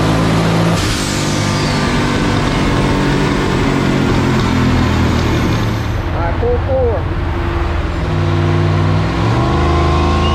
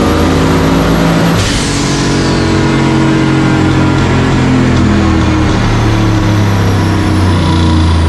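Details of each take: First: 1965 Pontiac Tempest with a turbocharged 4.8 L LS, over 780 hp on the dyno, full-load pull: roar turns ragged and rattling near the top; ignition breakup, plugs to be pulled and re-gapped. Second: Turbo 4.8 L LS stock-bottom-end engine in a 1965 Pontiac Tempest on the chassis dyno, more wastegate spring and a little more timing: strong, even roar climbing steadily at full throttle, clean pull, 781 hp and 664.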